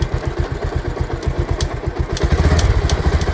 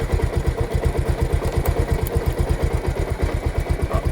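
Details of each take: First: Bajaj Pulsar at 68,651 km, in gear with throttle: rough low thumping and rattling with sharp metallic ticks that swells as revs rise; drive chain noise. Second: Bajaj Pulsar motorcycle, in gear at idle: even low idle pulse with no slap, rattle or grinding from the chain; drive sounds clean and quiet like a new chain, no extra noise.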